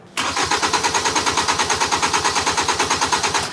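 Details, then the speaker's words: 2010 Hyundai Sonata 2.4 with an intermittent no-start and no trouble codes: steady starter cranking, about three beats a second, never fires. The tach moves, but a test light shows no ignition-coil control flicker, so there is no spark, which is why sprayed fuel got no reaction. "There's no spark happening here. That makes sense why it didn't react to fuel when I sprayed fuel in it."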